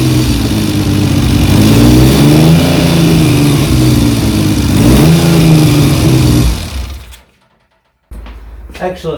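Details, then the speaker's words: 1975 Triumph Trident T160 after full rebuild, running at about 3000 rpm while ignition timing is strobe-checked (found virtually dead on); engine picks up cleanly, revs rise and fall evenly with no misses or knocks; normal running. "it sounds pretty good to me i don't know what you're going to see on camera but hopefully it'll pick it up here we go"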